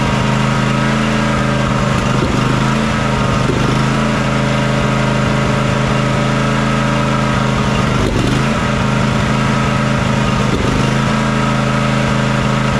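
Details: John Deere X300 riding mower that runs rough, surges and lacks power at full throttle, after fixing the choke: uneven, lumpy idle stumbling every few seconds; fuel looks and smells fine, pointing to a carburetor fuel supply problem.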